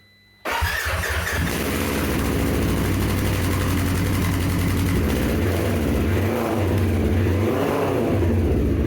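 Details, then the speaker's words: 2024 Polaris RZR XP1000 after Trinity Stage 5 full-system exhaust install with O2 sensor refitted; fires instantly into loud, throaty exhaust note, revs rise and fall cleanly with no misses or rattles; normal start and rev. "I really like the way it sounds. You know, there is a performance gain obviously with it."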